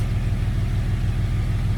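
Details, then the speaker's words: Jeep after a bolt holding the cylinder #3 intake valve open (zero compression) was fished out of the intake: deep, steady, even idle rumble with no knocks, misses or stumbles. Normal idle. "Listen to this Jeep. Sounds so good. Sounds so good."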